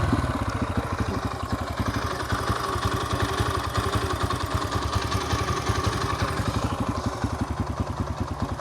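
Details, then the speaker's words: 2004 Yamaha TTR125L warm after carburetor rebuild, new plug and air filter, post test ride: steady, fairly slow single-cylinder thump with light clatter, smooth; idle a little low after being adjusted down, seems to level out. "Idle's a little low. I did adjust it back down."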